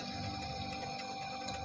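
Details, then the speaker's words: One-door refrigerator, compressor and light on but not cooling; at the freezer/evaporator a bubbling, gurgling trickle over steady hum instead of a soft hiss, indicating oil carried up because the system is empty of refrigerant from a leak. "Tapi ini aktualnya di bagian freezer atau evaporatornya bunyinya kerucuk-kerucuk."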